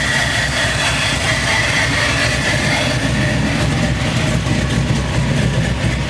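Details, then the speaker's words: Chevrolet C10 truck after wiring harness and injector replacement: idle starts fine, then hunts and stumbles after a few seconds, O2 sensors reading wrong; apparently caused by a vacuum leak. "So, after checking the truck out, there seemed to be some kind of vacuum leak that was making the idle act up on this truck."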